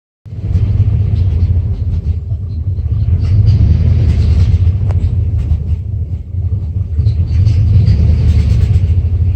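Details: 1994 Dodge Ram 5.9L V8 with codes 37 and 51, rough idle and backfiring: deep, uneven idle that lumps and stumbles irregularly; the cause was the crankshaft position sensor, and replacing it fixed the problem.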